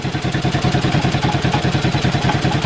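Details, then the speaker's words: Ford flathead V8 old farm irrigation pump engine, year unknown, first start after sitting: lumpy, uneven thumping about ten pulses a second instead of a smooth V8 beat; rough running, owner suspects a couple of valves stuck open. "flathead V8 folks I'd reckon to say he's got a couple of stuck valves that are open but aside from that he's up and running again"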